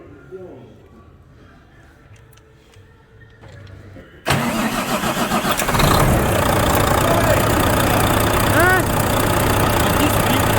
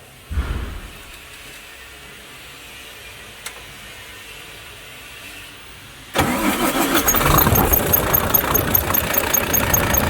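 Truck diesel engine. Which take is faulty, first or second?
second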